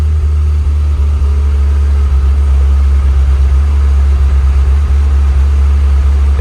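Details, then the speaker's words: Ferrari F355 V8 after reinstalling the original spark plug wires on the right bank: a steady, deep idle with an occasional dropped beat; a misfire at idle and slightly off idle, better than before; plugs or wires suspected. "it's better but it's not perfect drives okay but once you idle you get that Miss. you can hear it just skipping a Beat, so I don't know if that's plugs or wires"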